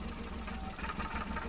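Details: 2014 Suzuki Every three-cylinder engine with code P0301 and a blinking check light: uneven, stumbling idle with an irregular skip; cylinder 1 misfire, injector pulse intermittently dropping out, traced to a leaking valve seal.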